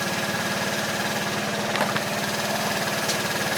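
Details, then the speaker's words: 2012 Piaggio Typhoon 125cc scooter after carburetor float setting and mixture screw tuning (about 1/2 turn out): quick even putt-putt idle, no stumbling; normal idle. "Alright, she sounds pretty good."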